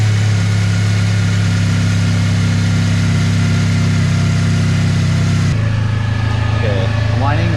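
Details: 2003 Chevy Cavalier four-cylinder, first start after work with temporary intake: even idle with faint high thin whine continuing after revs drop; owner locates it coming from one engine-bay spot, cause unconfirmed.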